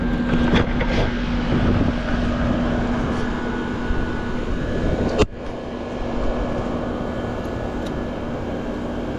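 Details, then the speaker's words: Home AC condenser fan motor, suspected burned up, power restored after a capacitor test (rated 45.5 µF, read 45.96 and 5.28): even hum, steady mid-pitched drone, airy fan rush, no rattles or grinding. It sounds much better; amp draw is 1.2 A against a 1.4 A rating. "Let's put power back to it and see what it sounds like. Sounds much better."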